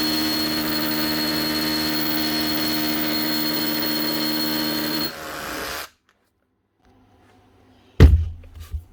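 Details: Makita DHR242 18V cordless SDS hammer drill after repair, where a broken-off wire at the switch caused the starting and stopping and was soldered and heat-shrunk: steady motor whine holds without cutting out, then spins down cleanly; running normally.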